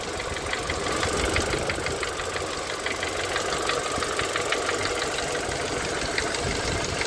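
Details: Renault Megane 2 K4M petrol engine, no knock on cold start; once warmed to +55°C a sharp steady knock about three per second at idle only, heard clearly from below near cylinders 3–4; oil change and flushes didn't help; owner suspects connecting-rod bearings.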